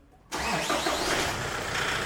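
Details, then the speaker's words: Toyota Hilux 3.0 diesel at idle, loud and flooding: catches at once, loud slightly uneven idle surging to 2,500 rpm and entering limp mode; rail pressure far too high. "Olha a pressão. Pressão estourando lá em cima."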